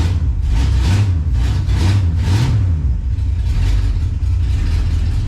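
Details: 1967 Pontiac Tempest station wagon, first start after pickup, 60 psi oil pressure: deep, even engine note rising and falling cleanly through a few blips, no knocks or misses; normal, healthy revving.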